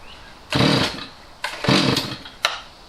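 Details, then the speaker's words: Stihl MS250C chainsaw that sat years with bad fuel; carb cleaned and rebuilt, L and H screws turned out, no change: each throttle blip rises briefly then sags and stumbles; bad carburetor causing bog. "it still bogs down and what's causing this issue is a bad carburetor I'm going to start it up so you can see the symptoms it just bogs down"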